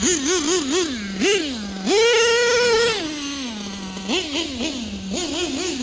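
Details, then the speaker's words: Nitro RC LST truck with rebuilt carburetor: shrill buzzing engine blips up and down then holds a high scream; running super lean, especially on the bottom end; new carb planned. "You can tell she's just running super lean, at least on the bottom end."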